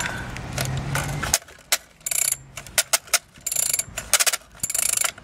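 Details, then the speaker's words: SYX Moto Holeshot 50cc with a broken pull start, being pulled: harsh uneven ratcheting clatter in short bursts instead of a smooth whir; assist-type recoil starter doesn't sound right, cause unconfirmed. "seems like it's one of those pull starts where it has like a um it's an an assist it kind of helps you generate uh torque um not I not just torque but you know velocity at which this will spin it doesn't sound right but whatever"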